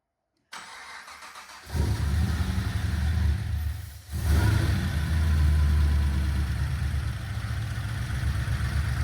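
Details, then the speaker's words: First start of a Harrop-supercharged LS V8 swapped into a Series 4 GU Nissan Patrol with 6L80 auto and 3.5" stainless exhaust: catches after a short crank, stumbles once, then idles evenly with no knocks. Heard from the rear, with good oil pressure. "Nah, sounds good back here. Heaps of oil pressure and stuff, so. Great success."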